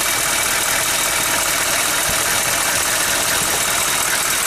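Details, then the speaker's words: 6.5 turbo diesel, original engine with 87,000 on it, started after sitting six years: steady idle under a loud breathy hiss, with only modest crankcase blow-by. "could be worse that's about what the plow truck is air blows and this one has uh 87,000 on it so on the original engine so that ain't too bad"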